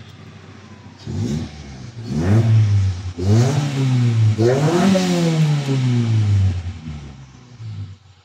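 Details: 1994 Toyota Corolla small body, hard-start complaint fixed by fuel pump replacement; now starts on one click: engine picks up cleanly through several smooth blips, pitch rising and falling evenly with throttle to full revs; runs healthy.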